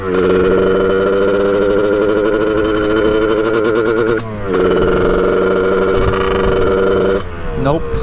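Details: 1989 Kawasaki KX125 two-stroke on its second ride, needle moved to run leaner and air filter off: screams steadily at high revs, then sags and stumbles twice; top-end breakup unchanged, cause not pinned.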